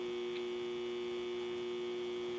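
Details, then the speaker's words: Transistor tester's audible leakage test on a known-good transistor, compared with the failed SX5570 protection-circuit transistor: the collector-emitter junction climbs to 188 V without leaking. Only a faint steady hum near 60 Hz, with no crackle or hiss. "And note how quiet that is. You can just kind of hear just a slight, almost like a 60 hertz hum."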